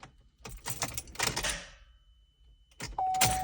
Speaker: all right so I just want to record a quick video what the car sounds like when I try to start it up set lights all come on it's not the battery I tried jumping that didn't work